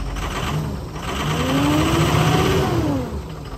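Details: Ford 6.0 Powerstroke diesel just started after sitting, once oil pressure built up: uneven, lumpy beat with a wavering pitch, running rough with a check engine light; owner suspects one or more failing injectors.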